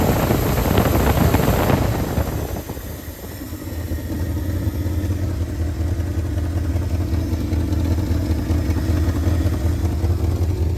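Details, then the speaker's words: 1971 Ford F250 V8 started after sitting about two weeks, slight oil burning off the manifold; a short throttle blip, then a settled, even warm idle with no lifter ticking, sounding healthy. "Well, it's idling nicely once you're warmed up."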